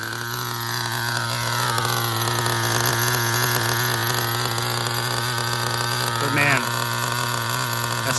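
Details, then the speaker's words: HPI Super Nitro RS4 nitro RC car during break-in, fourth tank, high-end needle half turn in, exhaust leak secured with second zip tie: steady crisp high buzz swelling smoothly with throttle, no rattle or sputter; running cleanly. "sounds nice. Maybe that second zip tie is all it needed."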